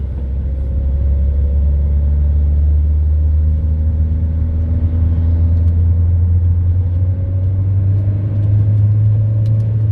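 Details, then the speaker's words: Diesel after air flow meter replacement and fault clearing with Diagbox, in second gear at full throttle: low heavy drone barely climbing in pitch, won't pull, no power, followed by heavy smoke. "je suis en deuxième elle repart pas là elle veut pas repartir ah là là"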